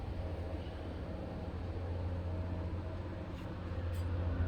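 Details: Cub Cadet LTX 1050 mower deck turned over, spindle pulley spun by hand: only a smooth, even low hum with no grinding or rumble; this is the good spindle, the others were bad.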